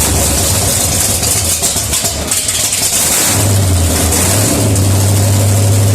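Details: Freshly rebuilt 1972 AMC 360, bored .030 over, Holley Demon 750, HEI, mild cam, headers, first dry start without coolant: deep steady V8 rumble with even firing beat settling into a strong idle; sounds healthy.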